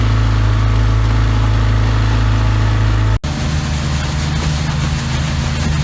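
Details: 33 HP Evinrude Ski Twin electric-start outboard before carburetor adjustment: at full throttle a low, dull, uneven drone that never climbs to proper revs; high-speed needle set wrong, later set 3/4 turn out from snug.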